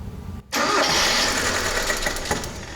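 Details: Carbureted Mitsubishi lacking power, with ignition timing verified correct at 8°. Uneven running with a sharp pop about two seconds in; backfiring into the carburetor traced to the camshaft, with an exhaust valve not opening.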